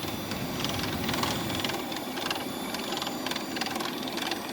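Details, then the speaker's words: 2013-on Nissan Pathfinder right cooling fan assembly (AC fan), engine not hot, part speed: steady fan whoosh with sharp irregular clacks, whole assembly vibrating; noise stops when AC turned off. "because there the whole thing is vibrating"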